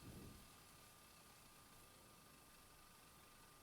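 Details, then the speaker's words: Thomson VTH6400F VCR during maintenance, tape rewinding fast toward the end, with the read head still touching the tape; quiet steady whir with faint thin tone, no grinding or catching; rewind motor running normally. "ah ouais là ça va vite au bola ça va tu peux prendre la patience de rembobiner en vrai ça va il arrive à la fin il le sait attention comment il sait que c'est la fin"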